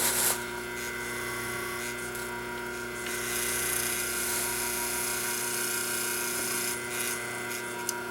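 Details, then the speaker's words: 1976 General Electric Q174461 motor for a three-belt White Westinghouse front-load washer, 1/2 hp, 1725 rpm, 115 V 60 Hz, shaft gripped by hand to load it: steady hum with a high whine, pitch holding; sound, healthy motor taking load. "If I grab the shaft here like this, I can probably get it up to about it'll burn my hand up."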